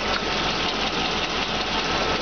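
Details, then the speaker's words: 1999 GMC C7500 forestry bucket truck engine idling, clean oil, no blow-by escaping, described as tight and strong; even, steady idle with no misses, knocks or puffing, purrs with no hesitation; normal idle. "sits there and purrs like a kitten, no hesitation at all."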